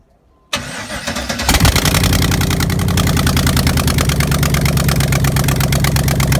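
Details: 1988 Pontiac Trans Am with 5.3 LM7 LS swap after wiring completed: short crank, then fires and settles into a steady, even V8 idle with no stumbles or misses; healthy engine.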